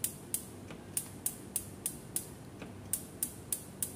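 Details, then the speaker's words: Built-in Modena gas hob, left and right burners both failing to light even after the regulator hose was fixed: sharp dry igniter ticks about three a second with no gas catching. A blockage in the burner jets is suspected, unconfirmed. "ternyata tidak membuahkan hasilnya sepertinya ini ya tidak ada tanda-tanda kehidupannya jadi Apakah ada kebuntuan ini di bagian kompornya ini"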